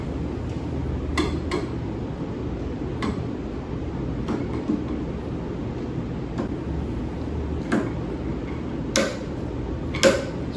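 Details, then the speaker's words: Torque screwdriver (10–65 in-lb range, ±2 in-lb accuracy) with a Torx bit: sharp separate clicks every second or two in a quiet room as the clutch slips at the set torque, working as it should. "And you just use like a regular screwdriver, and when it's up to the specific torque, it will start slipping and it will make a clicking sound, okay?"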